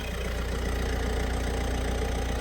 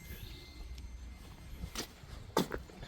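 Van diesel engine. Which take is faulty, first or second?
second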